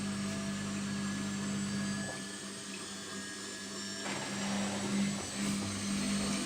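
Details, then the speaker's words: Samsung washing machine after overhaul to cure knocking, with a stuck sock removed and elastic bands added: steady motor hum on spin with no thumping. The machine stays still. "мертвая не шелохнется вот мои изобретения резинки от трусов"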